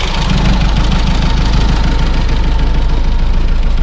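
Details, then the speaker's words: 1991 Dacia 1310 Break, petrol, first start after many years unused and now warmed up: a low, steady, even idle rumble with no clear knock. The engine runs smoothly. "Bă, dar ce bine merge, ești nebun la cap. Bă, deci pentru atâția ani de nepornită, merge țiplă, bă."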